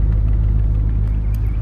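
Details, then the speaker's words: 2008 Audi S4, no check engine codes, heard from the exhaust at the rear: deep, smooth idle rumble staying even with no stumbles or misfires; sounds very normal, healthy idle. "doesn't sound like any misfires or any of that sounds very normal"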